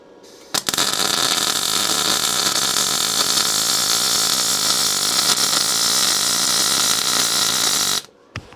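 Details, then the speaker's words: SIP Autoplus Mini 130 synergic inverter welder in gas MIG mode with solid wire and shield gas, wire at middle setting, on 3 mm plate: steady crisp frying sizzle about seven seconds, no pops or sputters; smooth, well-set arc, normal. "maybe that's as good as any mig i've used there's nothing to matter with that"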